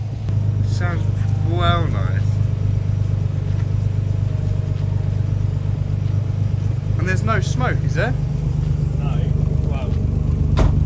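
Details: Nissan 300ZX started for the first time after 9 years sitting untouched on a driveway, not a cold start; steady even low rumble with no misses or knocks and a few chirps on top, running cleanly and healthy.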